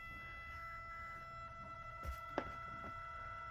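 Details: 12-volt camper vent fan slowed by a light dimmer (rheostat), giving a steady high-pitched whine over a low fan hum.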